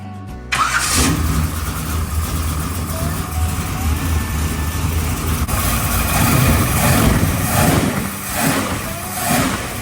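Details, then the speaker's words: 1968 Chevy Biscayne, 71k original miles, 388ci small block, 200-4R overdrive, 3.73 posi; vacuum advance hooked up correctly, header leak fixed: fires right up and settles into a steady, even lumpy idle, no ticking or exhaust puffing; normal start and idle. "The small block in the Biscayne fired right up and idled without any problems."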